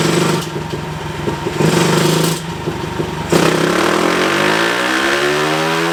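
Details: Tcb Xf-24 pit bike, Daytona 190-based 225cc stroker single (66mm piston), full-throttle dyno run after richening the needle one clip: crisp revving climbing to a high, even wail, no misfire or stumble; final run made 27.8 hp, 19.9 ft-lb.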